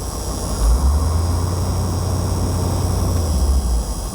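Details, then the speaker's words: 1978 Bluebird motorhome with Caterpillar 3208 diesel, revived after years abandoned, warm with water temperature stable just above 160 for an hour: deep, steady diesel rumble with even beat, no knocks or misses; running normally. "she just runs great it's just it's just shocking"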